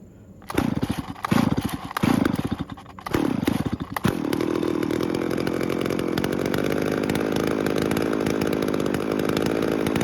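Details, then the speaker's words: Stihl chainsaw that wouldn't start, after repair and with the carb choked: a few short pull-start bursts, then it catches around four seconds and holds a steady buzzy two-stroke idle; it failed to start again next day. "So luckily it started and ran. Unfortunately, I didn't have anything to cut with it, but the problem with it was a starting problem and not a cutting problem."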